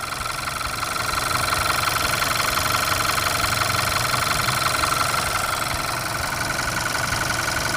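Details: Warm petrol engine idling at operating temperature with a fast, even ticking knock over a steady mechanical hum, tested with Lucas Low Viscosity Stabilizer oil additive, peak 95.5 dB.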